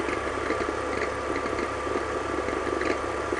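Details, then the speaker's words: BMW E46 at idle, touching the belt tensioner adjuster mechanism; squeak repeats about twice a second with a small knock each time, belt visibly jumping; noise from the tensioner mechanism, not the pulley. "it's not coming from the pulley but it's coming from the tensioner mechanism"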